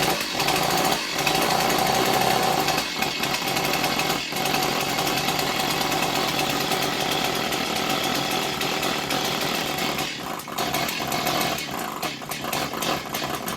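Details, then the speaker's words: Stihl 028 Wood Boss chainsaw that hadn't run in a long time; rough uneven buzz that stumbles and surges as the choke flap flutters open and closed rapidly, starving the intake of air. "So when I turned the saw to the side there, I could see that little arm. I could see the little arm over here on the filter that this piece pushes on, fluttering. So that means that the that choke baffle is opening and closing very rapidly, a"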